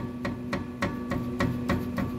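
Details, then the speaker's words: Chevy Traverse, clunking over bumps: sharp metallic clunks about every quarter second as the sway bar is tapped, each with a hollow rattle; worn sway bar needing replacement, usually done in pairs. "and then the clunking when you're hitting bumps that's this sway bar right here and you can hear"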